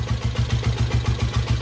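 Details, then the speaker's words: After carburetor idle-mixture screw adjustment on a 1972 Honda CL350 twin (first carb side set), engine runs a slow, even, smooth low idle with no misses; sounds really good. "It should just idle here. It's at a really low idle,"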